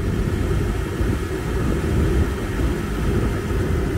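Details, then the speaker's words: 2010 Nissan Sentra brought in with no heater blower operation; after blower motor replacement and a new cabin filter, the heater blower gives a steady, even airflow rumble with no ticking, rattle or squeal; normal blower motor operation. "Well, as you can hear, the blower motor's working now."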